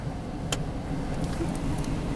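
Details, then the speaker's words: 1999 Chevrolet Tahoe V8 at operating temperature: steady, even idle with one light click and no clanging. It clanged and showed low oil pressure a couple of months earlier, but now runs normally. "oh listen to this thing sounds perfectly fine and here's the other catch"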